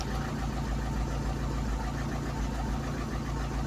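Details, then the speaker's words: Ford Cortina at idle: steady low rumble with uneven throbbing shake; rear exhaust back box was disconnected during earlier work and isn't sealed, causing vibration; owner also suspects the engine. "When I had to work on the back of the car, I've disconnected it, so it's like it's not sealed, so the back box isn't completely sealed. So that's why it's vibrating a lot and shaking."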